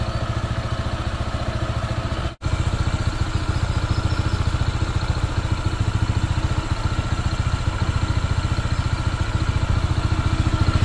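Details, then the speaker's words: New Honda PCX 160, before break-in, with complaints of misfiring, bogging and stalling at idle; the owner feels the belt is loose. A steady idle thrum with a metallic clatter on every beat; the owner thinks break-in is needed. "makalansing eh oh iba yung tulog eh"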